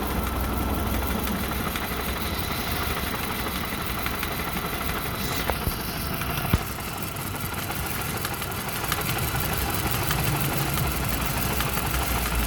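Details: Volvo/Mazda/Ford Duratec engine at idle with codes P0302, P0352 and P0400. Uneven, lumpy idle with an irregular low thump about four times a second, as if one cylinder drops out; misfire cause not confirmed.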